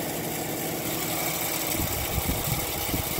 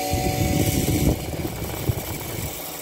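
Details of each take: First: Emerson Quiet Kool window air conditioner, vandalized and very loose, fired up with compressor running: steady hum with irregular rattling ticks as the fan strikes something; the contact point is not yet found. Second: Emerson Quiet Kool window air conditioner, old and vandalized, fired up. A thump at start-up, then a steady low hum that holds even with no knocking; the compressor starts and runs normally.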